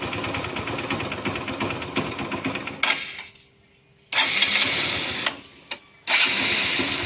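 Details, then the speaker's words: Motorcycle with oil leak after spark plug refitted: engine struggles, sputters and cuts out twice, then fires straight back up and runs on; starting normally now. "கொஞ்சம் கஷ்டப்படும் அதுக்கப்புறம் start ஆயிடும் வண்டி இப்படிதான்"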